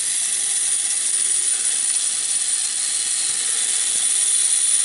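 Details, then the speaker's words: 50-year-old Mr Mercury tin battery-operated toy robot, worn arm motor raising and lowering the arms: high, rattly, uneven gear chatter at three to four ticks a second; it labours stretching stiff return springs, which the owner plans to swap for lighter ones. "see that makes the arms go up and down and you hear it laboring that's because it's stretching on that spring and back"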